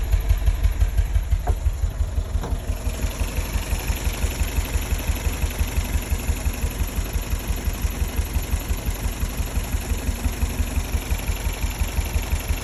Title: MR2 noise when idle